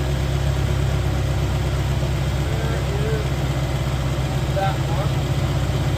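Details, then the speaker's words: 1985 Mercury Marquis police interceptor 351 Windsor V8 with aftermarket cam, timing 12° base/36° max: steady, even idle behind mufflers, smooth low rumble with no knocks, ticks or misses; cam not very lopey, slight blow-by; normal idle. "But it sounds good. I mean, it doesn't sound like a huge performer right now, but it's still got mufflers."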